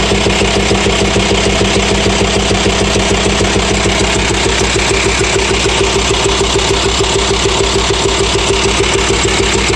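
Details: VW T5 Transporter 2.5 AXD diesel at idle with a pulsing hose: a sharp, regular ticking knock about twice a second over the clatter. Teardown showed worn hydraulic lifters and camshaft; the knock was gone after replacing them.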